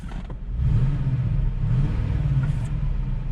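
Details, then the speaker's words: 2001 Cadillac DeVille, code P0308 cylinder 8 misfire, began shaking with check engine light: low lumpy idle rumble with an uneven stumbling beat; owner replaced the coil pack for the misfire. "actually skipping the code is 308 number eight cylinders misfired"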